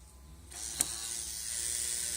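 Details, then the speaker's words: New replacement Bosch headlight leveling motor from a Mazda 626 GF, bench-tested out of the headlight after the original failed: a click then a smooth, steady high-pitched whir; normal operation. "the new one is working."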